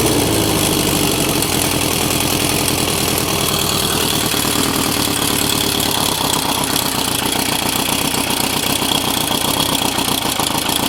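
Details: Engine running through vacuum-fed carbs with no air restriction: loud lumpy idle with ragged stumbling pulses; rough idle the owner expects from the unrestricted carbs.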